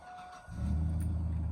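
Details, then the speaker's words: 2002 Chevy Silverado 1500 after fuel pump replacement through a bed access hole, fuel system primed several times: quiet half second, then it catches straight away and settles into a steady, even low rumble. Clean start with no leaks or codes; it later ran fine at 70 mph. "Fired right up nicely. No leaks."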